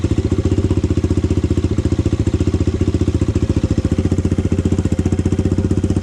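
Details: Honda 400EX single, first start after idle-screw adjustment: steady, even thumping at a low idle with no knock or valve clatter. The owner says the carburetor still needs work.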